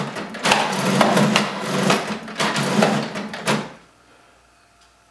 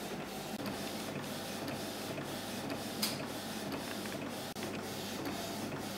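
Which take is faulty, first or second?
first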